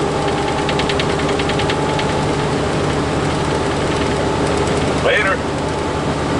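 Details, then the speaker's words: Freightliner truck diesel idling: loose buzzy rattle steady with the engine; cab rattle that seems low, near the cabinet area rather than up above, cause unidentified. "Maybe it's up in the cabinet area, but to me it sounds like it's down there. It's lower. Doesn't sound like it's up above."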